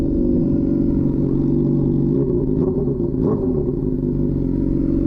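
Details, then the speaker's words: 2007 Honda CBR600RR rebuild, fresh coolant and new oil, exhaust missing its muffler inserts: loud, raspy, steady idle with a hard crackle on every blip; far too loud without the baffle inserts. "It sounds relatively nice on camera. In person, it sounds like a ricer exhaust, honestly."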